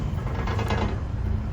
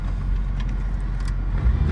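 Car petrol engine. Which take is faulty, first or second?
first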